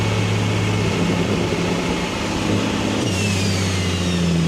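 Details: Single-turbo BMW N54 at 17.5 psi, after index 12 injectors and a new tune, idling after the first pull: a steady low note with a dull knock underneath. Metal glitter found in the oil filter indicates a likely spun rod bearing.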